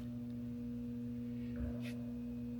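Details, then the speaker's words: 36-inch two-speed shop fan that stopped working: a steady low electrical hum with the blades not turning, as the motor is stalled by tight bearings. Repacking the bearings did not free it; removing a spacer and adjusting the mounting hardware did. "But let's turn this on and see what it does. I hope you can catch the sound. We'll turn it on, and all we're getting is a humming."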